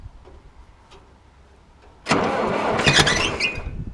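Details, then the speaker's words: IH 2504 tractor, Continental C-153 petrol engine, first firing after sitting for years; harsh cranking with a single weak pop, never catches despite spark on number two; owner suspects insufficient fuel delivery. "oh it kicked okay i got spark on number two and it kicked it popped just a little bit i i think i just need to get some fuel delivery going here"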